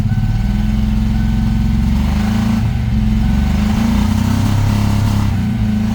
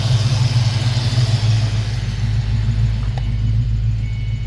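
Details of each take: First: 1993 Mustang Cobra, sitting 20 years, first start; low, lumpy exhaust note with uneven beat and wavering revs; owner suspects stuck injectors or timing way out; rough running. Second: Mustang engine after Sea Foam treatment, revved eight or nine times: a low, even idle rumble with a steady beat and no stumble, miss or shake. Smooth idle.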